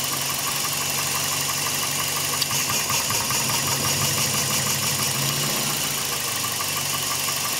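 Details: 2003 Toyota Echo 4-pin coil-over-plug engine with a P0304 misfire, redoing the cylinder drop test on cylinder 4 after replacing the #4 ignition coil. Steady, even idle with a good RPM change on that coil; misfire fixed.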